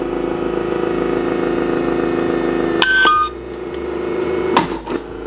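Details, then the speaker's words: Returned Amazon dog treat dispenser, button held 5 seconds at setup: steady motor hum for about three seconds, then a few clicks and a beep as it tries to dispense; normal cycling. "It sounds like it's trying to dispense the treat already."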